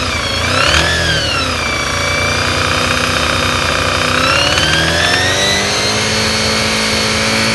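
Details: Honda VFR 400 NC30: knocking appears at 3,000–7,000 rpm, not at idle, and only briefly when the throttle is rolled off gently; the sound seems to come from high up under the tank. Faint irregular tapping over rising and falling revs; engine knock, cause unknown.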